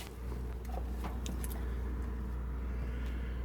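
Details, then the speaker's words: Garage subwoofer fed by an old RCA cable after hooking up a different receiver, stereo off: steady, deep mains hum from the sub, interference picked up on the poorly shielded RCA cable. "Uh, I'm making this video because I'm getting this hum coming on my sub in the garage. I don't know if you can hear it, but just a hum."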